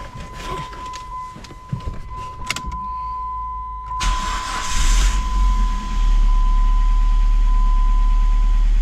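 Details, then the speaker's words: 2005 Dodge Neon SXT 5-speed manual that sat for years under trees, with a new battery and check engine light on: starter turns over, the engine catches and settles into a steady low idle. "this thing does start up so let's check this thing out I'm going to start it up so we can hear the motor run"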